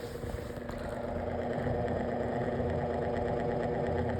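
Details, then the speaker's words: Lasko Windstorm pedestal fan on speed one: low, steady hum with a rough pulsing buzz a few times a second and shaking; abnormal vibration noise on speeds one and two, speed four fine, persisting over days of use. "It makes this absolutely it makes this abnormal vibration noise and it's annoying. It It just doesn't on speed one and speed two."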